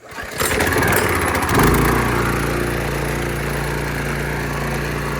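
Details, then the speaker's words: Generac One Wash pressure washer bought in 2015, Honda-clone engine that always starts on one pull: recoil pull catches at once and settles into a steady, even idle with clean rhythmic putter, no misses or knocks; normal start and idle. "started up real nice and easy we already have the wash right there"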